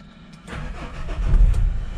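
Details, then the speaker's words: Renault Kangoo extended van, 1.5 dCi 70 diesel, just after fitting a new battery: short crank, then catches at once and settles into a steady, low, even diesel clatter; normal healthy start. "démarre au taquet le bordel. C'est un 1,5 DCI, je vous ai même pas fait le tour du moteur."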